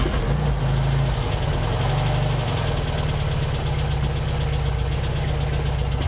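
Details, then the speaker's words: 1964 Porsche 356 C air-cooled engine started for warm-up before oil change, after carburetor rebuild: started right up where it previously only cranked; even quick firing at settled idle, no stumble or knock, smooth. "perfect started right up that is awesome before it would just crank and crank and crank and crank and I can get it started so I think our carburetor rebuild was spot-on it's really running great listen to that nice and smooth boy that sounds awesome"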